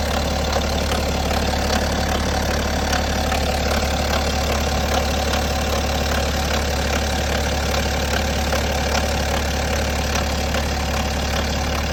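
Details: BMW N57 diesel idling with a steady clatter and a faint irregular tick on top; timing chain noise suspected, not confirmed. Engine ticking at idle.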